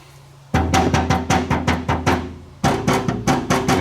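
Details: Citroën body panel area lacking Tiger Seal silicone behind it: tapping gives hollow, ringing knocks that boom briefly; undamped panel oil-canning, to be fixed by adding silicone.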